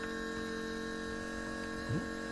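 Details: 4WD Daytona temporary fuel system with lift pump, surge tank, high-pressure booster pump and adjustable regulator; pump on battery power as regulator pressure is adjusted from 40 toward 60 psi; steady even electric hum, constant pitch, no surging or rattle; running normally.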